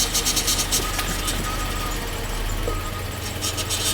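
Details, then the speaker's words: 2012 Jeep Grand Cherokee Laredo 4x4, Mercedes transmission full of fluid, stops moving after 30–60 seconds: thin, steady whine near the transmission, coming and going over the engine rumble with wheels turning in gear; internal transmission fault. "It's making this whining noise up here by the transmission. So, something is not right in there."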